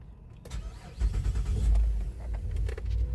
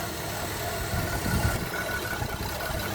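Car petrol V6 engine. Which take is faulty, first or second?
second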